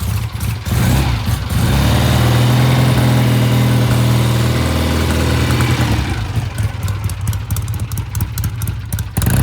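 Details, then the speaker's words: 1967 Triumph twin (green and white), bike ridden past at low speed, chilly Phoenix morning: uneven, stumbling low-speed note breaking up badly before smoothing; clogged pilot jet starving it off idle. "Yeah, it's breaking up pretty bad. I can hear it."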